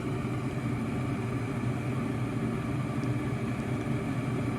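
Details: American Standard gas package unit, no-heat call, after repair: it fires up and runs with a steady, even low hum and no knocks or rattles. Running smoothly.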